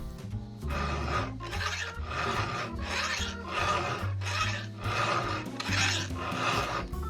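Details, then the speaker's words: Chainsaw chain hand-filed with a two-handed round file under firm pressure: deep, gritty rasping in even, heavy strokes of about forty a minute, the "gori-gori" sound of proper sharpening that throws off iron filings. "ゴリゴリという音がしてしっかりと研げているときはこんな感じで鉄粉が出ます。"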